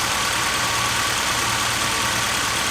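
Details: 1997 BMW 318i M44 four-cylinder after rebuild, spark plug wires corrected: steady, even idle with smooth low hum, no knocks or misses; running healthy.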